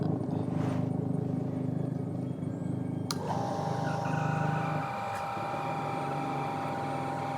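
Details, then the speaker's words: New Shimizu PL-122 BIT shallow-well water pump, copper-wound motor, PP plastic body, first run after priming: steady low hum, then a clean higher motor tone as it starts drawing water; smooth and quiet, healthy. "Suaranya halus sekali ya. Nah, ini dia mulai ngisi."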